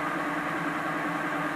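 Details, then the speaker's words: BMW EV conversion, first run of electric motor and gearbox with new adapter plate and coupler: smooth, even hum, steady tone, no knocks, rattles, play or vibration; sounds better than with the old jaw coupler. "isn't 100 true you can see it there's no play no vibration the gearbox doesn't sound like it's got a problem"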